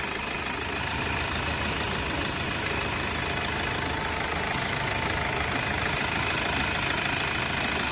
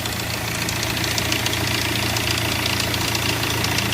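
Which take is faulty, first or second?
second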